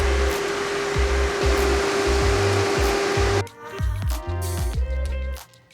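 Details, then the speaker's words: Salvage 2018 Chevrolet Camaro RS with a damaged, partly stripped front end, just after startup: a loud steady rushing roar as the cooling fans run at full speed, reason unknown. "Let's see what your heart sounds like. I wonder why they're running at full speed."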